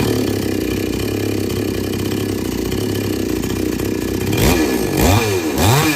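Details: Chainsaw that wouldn't take load, after setting H and L screws fully in then three turns out; steady even idle then three quick clean revs without stumbling, running normally.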